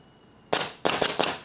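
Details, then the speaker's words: Compressor-fed pneumatic linear actuator driven by a solenoid: three sharp hissing bangs, each a burst of air as the cylinder strokes. The actuator is cycling normally. "If we hook this up to negative, and then we hook this up to positive via the relay, then it'll just cycle on and off automatically."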